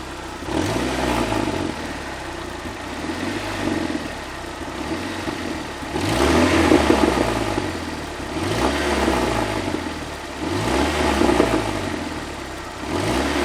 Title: Странный стук в двигателе 4A-FE